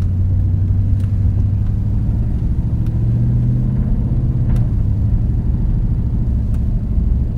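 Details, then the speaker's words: Nissan Titan V8 driving after rear catalytic converters deleted and front passenger cat self-gutted: deep, loud steady exhaust rumble without knocks or rattles; sounds good, just quite a bit louder. "actually sounds good. It's louder. It's quite a bit louder."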